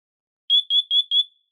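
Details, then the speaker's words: Siterwell hardwired smoke/CO detector, test button pressed: four short, piercing high beeps about a quarter second apart; the test cycle works as it should. "So I'll hit the test button and you'll actually hear the voice alarm in 2 different languages, both French and English."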